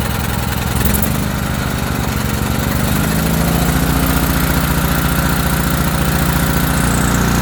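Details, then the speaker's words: ETQ TG3000 3000 W portable generator after servicing, fresh fuel, started on choke with carb spray: single-cylinder engine catches and settles to steady, even beat, holding with choke then fully off. Normal running on choke. "So choke is all the way off. So far so good. She's holding. It's still running."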